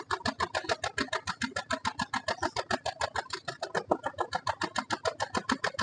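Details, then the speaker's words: Chevrolet Beat petrol lacking pickup, heard at the tailpipe at idle: steady tak-tak puffing about three and a half per second, one cylinder completely dead. "ഒരു cylinder പൂർണമായിട്ടും work ചെയ്യുന്നില്ല അതാണ് ഇതിന്റെ ആ ഒരു feel നമുക്ക് കിട്ടുന്നത്"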